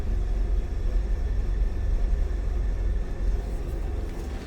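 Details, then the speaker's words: 1965 Ford E-100 Econoline pickup, 240 inline six: low, soft, even rumble at warm idle with no knocks, ticks or misses; smooth, quiet, healthy idle. "Pretty smooth and quiet. Definitely one you're not going to see every day."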